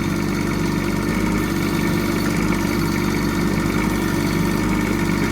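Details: Bobcat E10 mini excavator after replacing a leaking hydraulic pipe, checked for leaks and oil topped up: steady even diesel idle, smooth low thrum, no knocks or misses; normal running.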